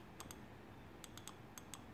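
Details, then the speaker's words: BMW E46 M3 S54 dual VANOS valve body solenoids after brake-cleaner cleaning; previously they made no clicks. Crisp light ticks in pairs and short runs, about seven in two seconds, in a quiet room: the solenoids now click normally. "okay so got this one clicking pretty good here and then I got a little noise out of this one and weren't getting anything before same thing good clicking now"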